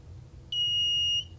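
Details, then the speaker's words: Kit-built metal detector at about 2.8 volts: a clean, high, steady beep lasting under a second as big pliers near the coil; a very small screwdriver went undetected; normal detection tone, detector working. "catching that. So it is working."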